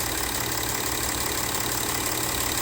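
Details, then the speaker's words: Audi Q7 diesel at idle, middle injector on nearside bank with failed seat: steady hiss and faint chuff as compression blows past the injector seat, melting the rocker cover and leaking oil. "something's blowing that yeah i always say it's called compression going through making that noise"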